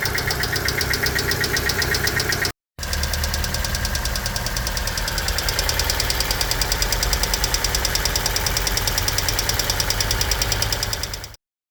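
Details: Hyundai Getz G4EA petrol engine at 224k km idling with a rapid, even metallic top-end ticking from a noisy hydraulic lifter, while testing Liqui Moly Hydraulic Lifter Additive (1009).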